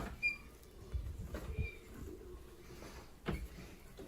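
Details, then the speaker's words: Squeaky door hinges: short high squeaks and soft thumps as a door swings open and closed, dry hinges needing lubrication. "are you interested in getting rid of this like if you're opening the kids or closing the kids door in the morning if they're still sleeping and you don't want to wake them up or maybe their doors are waking you up when they open them if you're still sleeping right so we've got hinges here that need to be lubricated"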